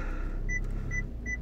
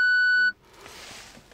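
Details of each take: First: VW Golf 7 after replacing the failed park-assist buzzer (faulty since a battery change), engine running in reverse: short clear beeps at about 0.4-second intervals over a quiet engine; warning gone, parking sensor working normally. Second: VW Golf 7 in reverse: single steady high beep about half a second, then quiet, with warning flashing; rear parking sensors not working since a battery change, caused by a failed park-assist buzzer, later fixed by replacing it.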